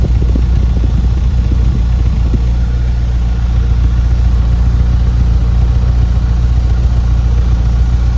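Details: Ford Fiesta 1.6 with codes P0301/P0303 from a failed coil output terminal; exhaust check after the coil fix shows even puffs at a steady idle beat, no skipped or popping pulses, all cylinders firing cleanly.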